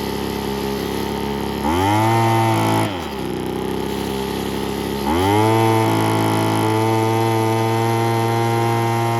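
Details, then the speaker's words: 80s/90s McCulloch two-stroke gas leaf blower runs with a steady buzz and two smooth rev-ups after Zama carburetor kit, new fuel filter and air filter and fixing a kinked fuel line; burning off oil after long storage, runs normally. "it looks like a lot of oil and stuff's got to burn off of that it's probably been sitting outside for a long time but yeah almost sounds like a chainsaw it's pretty cool"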